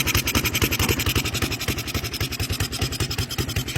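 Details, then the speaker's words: 1982 Honda Big Red 200 ATC three-wheeler (200cc), revived after about 10 years sitting, with a new spark plug and a Yamaha YZ tank fitted: small single idles steadily, firing cleanly and evenly; normal idle. "She's a runner. Runs freaking good."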